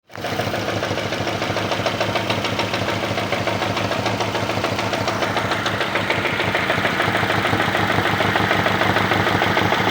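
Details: Lada Largus with K7M engine: a quick, regular ticking knock of about three per second rides over the running engine at steady speed. The source of the knock is undetermined.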